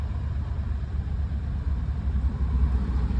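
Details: Mahindra Bolero BS6 diesel with DEF/urea fault (DEF error, no start in 800 km), engine warm (coolant about 76°C) before DPF regeneration: low, smooth rumble at steady idle around 1,000 rpm, no knocks or rattles; healthy warm idle.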